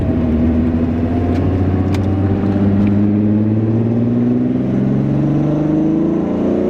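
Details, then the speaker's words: VR6 VW Mk3 starting and pulling smoothly with back window down to hear exhaust, even note climbing with revs, no clicking, stumbling or misfire after junkyard parts fix; now starts and stops every time: normal running. "well surprisingly enough that actually went pretty smooth well the last thing I want to do is speak too soon but I think we've got Miley to a pretty good spot at this point she starts she stops every single time"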